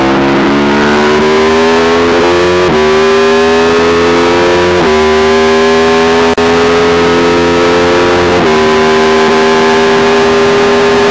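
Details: Yamaha YZ450 single in supermono race bike under load: stumbles and drops out every few seconds; long-standing misfire worsening after a couple of laps, persists despite changed carb settings, tank, fuel filter, breathers, ignition, coil, generator; cause unknown.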